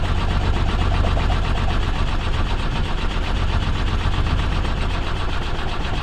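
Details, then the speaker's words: BMW 2002 after a carb swap and distributor work, coil possibly left unplugged: steady rhythmic starter churning, the engine never catches. Crank, no start, and the owner suspects no spark from the old points-type distributor. "it almost sounded like it cranked that was fast i don't think it's getting a spark"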